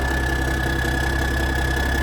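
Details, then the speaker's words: 1987 cabover truck diesel restarted cold after years sitting: steady, even idle with a constant low drone and a faint whistle, no stumbles or knocks. Running smooth despite a noted fuel leak; normal idle. "And for it to be cold, you know, usually these things are really bad about smoking and running like crap. This thing's running pretty smooth."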